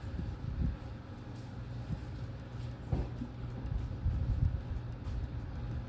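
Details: Work truck restarted after roadside breakdown repair, top cover off, checking for leaks before oil and fluid change: low steady idle rumble, no knocks, misses or squeals, no leaks; running fine.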